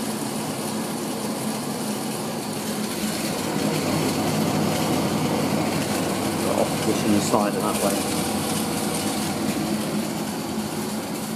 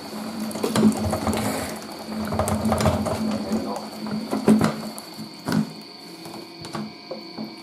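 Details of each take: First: 1980s Tefal Spinmaster spin dryer (made in France by Calor, 2,200rpm max) spinning towels with the lid closed: a steady motor hum and an even whir from the drum, no knocking or scraping, and air blowing out. Normal spin. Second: 1980s Tefal Spinmaster spin dryer (Calor, 2,200rpm max) spinning wet towels: a steady hum broken by irregular heavy thumps as the lightweight plastic tub jumps and shakes. Unbalanced load shaking.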